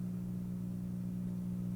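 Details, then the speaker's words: Tube signal tracer after repair, mic very close to the chassis: low steady mains hum with no crackle or buzz, attributed to transformer coupling and an open input line. Slight residual hum. "now the little bit of hum that you hear there is a combination of that transformer coupling and open basically open line the hum"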